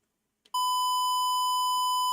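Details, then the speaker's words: Cheaper guitar wireless passing a test tone from Reaper at the same level as the others: steady 1 kHz tone with no dropouts, crackle or hiss, cleaner than the more expensive Line 6 unit; clean test tone. "This is actually a cleaner signal at this level than the really expensive line 6 one was."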